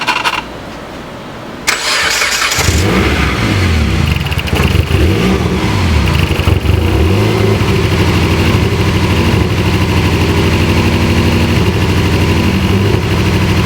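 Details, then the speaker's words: Dodge Caliber that won't run right after coil wires were cut and reconnected: cranks and catches, then a louder, uneven, lumpy beat around three per second with a rapping note. A cylinder is suspected not firing, engine misfire. "It was so much louder and like, I mean, it was sounding like a rapping. Something's not firing. Huh? Something's not firing, like a cylinder."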